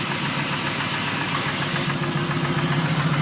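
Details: Camaro SS V8 before engine removal: deep regular knock about four a second at idle, heavier as revs rise; spun rod bearing on cylinder 3.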